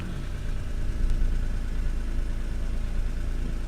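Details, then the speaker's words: 1992 Acura NSX at idle during a pre-purchase inspection, listening close to the exhaust: steady low even rumble with no pops, misses or backfires and no smoke or excess soot seen; normal healthy idle. "I listen to the tone listen to if I hear any backfiring which I'm not hearing"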